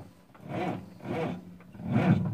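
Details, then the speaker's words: Freightliner FLD120, 397k miles, first start attempt after sitting 17 years, clutch pushed in: starter drags the engine over in slow, laboured heaves, about one every 0.7 seconds, never catching. Hard, slow cranking; batteries then checked. "it doesn't like to turn over"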